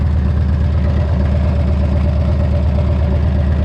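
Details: Harley-Davidson V-twin after replacing cracked exhaust crossover pipes and fitting a new brake caliper: deep, loping potato-beat idle with no ticking or exhaust puffing, running smooth; a little oil leaking from the carburetor noted; normal idle.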